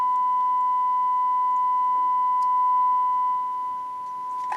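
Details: Harman Kardon 900+ multichannel receiver after capacitor and resistor restoration, drawing about 48–49 W; a clean, steady test tone of about one kilohertz through the speakers with no crackle or dropout, so output stage working (previously no left channel; alignment still needed).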